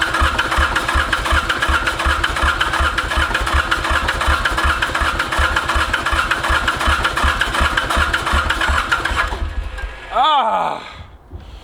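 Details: Mitsubishi K3D three-cylinder diesel in a Ransomes Bobcat mower, first start after 9 years, dosed with starting fluid: steady cranking at about 2.5 turns a second with odd weak firing that never catches; owner suspects too much fuel, possibly head, unconfirmed.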